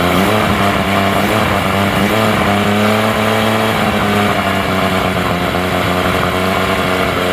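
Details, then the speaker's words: Honda BF35/BF40/BF45 outboard right after a carburetor installation: steady, even idle with a low firing hum and no misses or knocks. It is slightly rich in the midrange. A healthy, beautiful idle. "a little bit rich in the middle here oh that is a beautiful Idol what a great engine"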